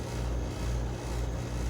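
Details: Air conditioner condensing unit after repairing two evaporator coil leaks, evacuating to 350 microns and recharging: steady low drone and even fan rush, no rattles or surging; running smoothly, near-perfect charge, 5.3° subcool, 16 superheat.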